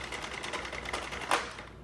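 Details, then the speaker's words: Sentro circular knitting machine cranked with Premier No. 4 worsted yarn that is nearly a No. 5 and too thick for it: rapid plastic clicking broken by sharp popping/grinding as the yarn jams, still present with extra hand tension. "Hear that? That's the popping or grinding noise. And so I wasn't quite sure what was going on, if it was the yarn or just my machine."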